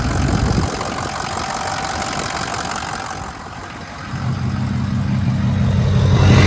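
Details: 2006 Ford F-250 6.0 diesel, restarted after a bad IPR valve and a near-complete HPOP rebuild with new standpipes and dummy plugs: after a quiet stretch it settles into a steady, even low rumble that slowly builds, running smoothly with no misses.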